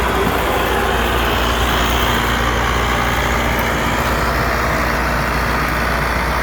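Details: Allis Chalmers 6080 tractor diesel after an overhaul, working a mower deck. A deep, even pull with no knocks or misses is heard over outside noise: the engine is healthy and running normally under load, using very little fuel.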